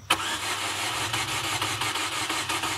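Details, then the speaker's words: Chevy Aveo that misfired severely, exhaust manifold glowing red, then lost power and won't start: quick, light, free cranking with uneven beats; suspected low compression from fuel cylinder wash, injectors firing without spark. "It cranks like it has no compression. >> I believe that that is from cylinder wash. Injectors are firing with no spark."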